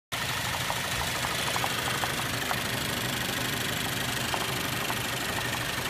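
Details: 2013 Cadillac ATS 2.0L, 6-speed manual, idling with hood open: uneven idle with a light, irregular tapping knock about three times a second; shakes at idle, has stalled several times, no codes; cause not yet found.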